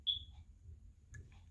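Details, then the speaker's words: Old FireX smoke/carbon-monoxide detectors over 12 years old, battery replaced under two months ago: a single short high-pitched chirp, then a faint second chirp, in a quiet room during testing; an aging detector is suspected of signalling, not confirmed. "can hear you can hear some other chirping already happening if it's not from this one it's coming from the other one anyways"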